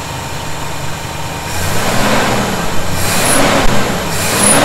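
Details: 1971 Chevy C10 V8 at idle after a cold start, with loose fasteners snugged up to cure a suspected vacuum leak: steady, lumpy idle with no hiss or whistle at the carb base. Sounds healthy.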